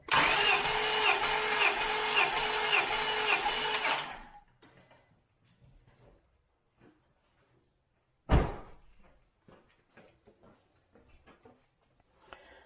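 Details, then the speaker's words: 2000 Acura 3.2 TL, J32A1 V6 at 623,264 miles, original valves, heads never off, compression test at wide open throttle: about four seconds of even, regular cranking; reads about 190 psi, normal. "Let's get in there and crank. Get at least 6 puffs out of it. Wide open throttle."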